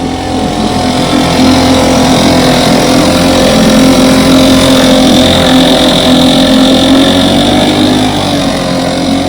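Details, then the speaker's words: Fully rebuilt 1960s West Bend 2 hp outboard, model 2901, barrel test run after restoration; steady, even two-stroke buzz at constant pitch, no misses or knocks, running healthy. "Got her completely rebuilt, painted, waiting on decals. I should think Randy and Terry are going to make their own. So I'm about to set her in the barrel and do a barrel test run."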